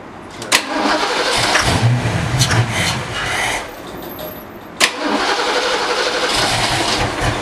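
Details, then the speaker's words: Fox-body Mustang, first start in 20 years on starting fluid sprayed into the throttle body: catches sharply, revs roughly a few seconds, then dies, twice. Spark is present but the fuel pump isn't clicking on, so there's no fuel delivery. "Checked it for spark, we're getting spark, but the fuel pump's not clicking on, so it's either a dirty connection somewhere, or either way, it's not getting fuel, so it's got to be something with the tank or something around there."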